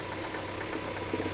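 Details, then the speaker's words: Citroen C5 on first start after clutch replacement: steady idle with a faint rough rattling hum on the belt side, away from the clutch; possibly a dodgy idler or something on the fan belt, not confirmed. "ooh what's that noise that doesn't sound good I hear a noise a hold on I hear a noise and it seems to be coming from this"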